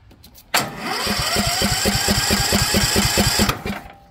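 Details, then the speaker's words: Cub Cadet XT1 LT42 Enduro lawn tractor, Intellipower, Briggs & Stratton, built 05/2020: turns over about three and a half beats a second then cuts abruptly; clicking module only opens fuel solenoid in one position, fault traced to two white wires. "you can hear it clicking again see in one position it will not open up the fuel solenoid and the other it will so"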